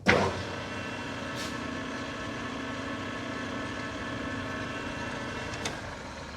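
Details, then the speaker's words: New Precision Matthews PM 1660-TL lathe on its first run and break-in after cleaning: the headstock gearing, around 250–380 rpm, gives an even, steady mechanical whir with no knocks or rattles. Normal gear noise. "all right i think everything's sounding go good to one two one and then we're going to bring this down into high speed"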